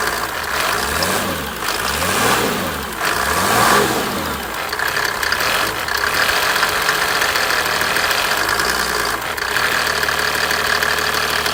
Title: Mercedes OM603 Turbo knocking sound